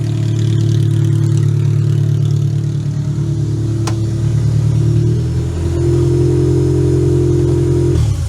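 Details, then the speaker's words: Toyota Camry demolition derby car, previously a no-start with crusty coil packs, now running: even four-cylinder hum with light revs, no misfire, runs amazing; power wire found rubbing the throttle cable, to be rerouted. "But you know what? Steven did a great job. This thing runs amazing. The garbage car runs amazing."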